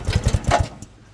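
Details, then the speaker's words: Barn-find off-road buggy with centrifugal clutch, not run for a while, fuel on and choke on: about six quick compression chuffs while turned over, then stops without catching; reluctant to start, cause unconfirmed. "There we go. Doesn't really want to start. Let's have a go again."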